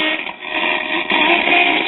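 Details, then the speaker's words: 1939 GE tombstone tube radio at 120 volts, unrestored: harsh buzzy crackling audio with muffled lows from a severely damaged speaker; a leaky coupling capacitor also suspected, with 7–9 volts on the output tube control grid. "of course a lot of that is due to the severely damaged speaker but i suspect we have a leaky coupling cap too"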